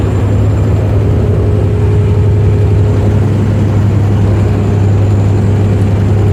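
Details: 2007 Freightliner Columbia diesel: heavy rumbling at steady speed with a thin constant whistle on top; the turbo was making noise and losing power, a failing turbocharger.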